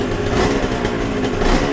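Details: Yamaha TZR 250 3XV twin-cylinder two-stroke, cold started during carb balancing: steady, crackly idle with an even beat and no misses or rattles.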